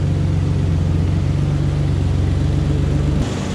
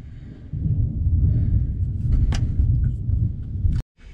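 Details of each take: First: Ford Ranger idling after muffler replacement to cure a loud exhaust: deep, steady low rumble with no rasp, rattle or roar, only normal engine noise; normal exhaust idle. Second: Ford Ranger, stock muffler leaking through its top side, hidden by the frame; deep, loud droning roar under the truck, far heavier than stock, before the muffler replacement.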